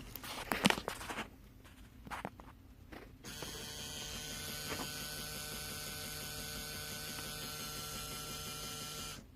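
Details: 2003 Dodge Durango SLT 4.7 with keys out of the ignition, engine off: steady high-pitched electrical buzz/whirring from behind the dash near the A/C and heating controls, also heard with the engine running.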